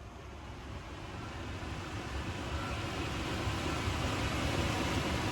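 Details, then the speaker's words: Nissan NV3500 rear blower motor, tested with knob turned from off to full: smooth rush of air that swells steadily as fan speed rises, no rubbing or ticking; normal healthy blower run. "And crank it all the way up. Woo! She's a beast. Holy moly, I think it's gonna take off."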